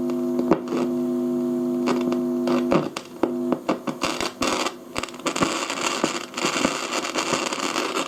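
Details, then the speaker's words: Fidelity HF45 record player with BSR deck, after switch cleaner: steady hum breaking into irregular crackles and pops every fraction of a second, no better, maybe worse; dirty, worn volume and tone pots. "And it's exactly the same, crackly. Okay. In fact, I think the switch cleaner's made it worse."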